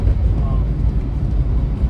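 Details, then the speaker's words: 1970 Dodge Challenger R/T convertible while driving: a deep, even, smooth V8 rumble with no popping or rasp; a healthy exhaust note from mid resonators only, with no rear mufflers. "it's got a nice exhaust note too um it just has a mid Mufflers or mid resonators uh no rear Mufflers"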